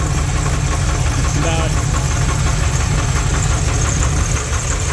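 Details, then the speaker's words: 1984 Dodge Ramcharger 360 LA V8, water pump belt off: loud idle with a steady low thumping knock tied to engine speed, still present when revved, good oil pressure; caused by a wrong front counterweight plus a counterweighted torque converter. "She's a knocking for certain."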